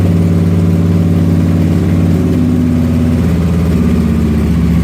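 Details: Motorcycle just after starting, throttle blipped by hand through a rough spot: lumpy, uneven idle that then settles and runs fine without stalling; rough idle after cold start.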